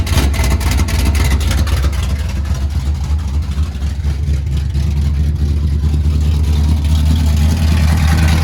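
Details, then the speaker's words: 1977 Dodge D200, freshly rebuilt 360 V8 with RV cam on long-tube headers, running without mufflers; loud, deep, lopey open-pipe idle, steady firing pulses, no knock or misfire; running good, loud underneath: normal idle with open headers. "Everything's running good up here. It is loud under here."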